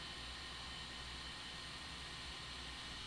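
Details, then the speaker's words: Sony power supply from an SGI O2 in a WeatherSTAR XL, sent in for shutting off, after full teardown and reassembly with no fault found, before recap: soft steady fan hiss, faint high whine, cuts off cleanly; passes basic test. "I tore this thing all the way apart didn't find anything put it all back together and it works don't ask me why"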